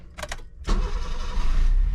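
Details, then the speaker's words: GT Turbo kei van, automatic with turbo timer, starts on the first crank: a short crank, then it catches straight away and settles into an even idle; normal start. "oo right up first crank"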